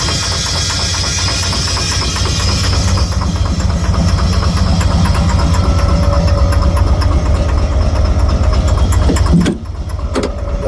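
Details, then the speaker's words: Heavy engine with lack of power, moving only slowly: rumbling knock about twice a second, loosely steady; engine knocking, cause unknown. "te suena muy feo el motor, ¿verdad?"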